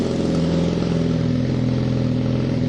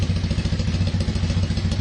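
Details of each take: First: KZ440 single-carb motorcycle after carb cleaning and air/fuel screw adjustment: revs rise thin and hesitant with a slightly uneven top end. Running lean, so a larger main jet is needed. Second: Kawasaki KZ440 single-carb, warm, after carb cleaning and clogged pilot cleared, air/fuel screw set one turn out: low, even exhaust pulses about ten a second with no hunting or misses; idle steady.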